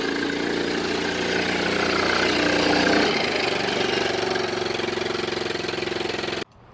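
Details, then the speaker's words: Hammerhead 110cc Chinese go-kart engine, sat almost a year, after carb cleaned of varnish and new battery: single-cylinder putters evenly, revs swell then settle to steady beat before cutting off; starts right up, runs clean, no misfire. "It started right up. Yeah, got the carb cleaned out. It's firing right up. No problem now."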